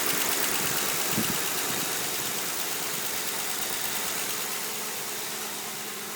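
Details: Ford Crown Victoria Police Interceptor (CVPI) at steady idle: crisp, even tick about four per second over the engine hum; source of the ticking undetermined.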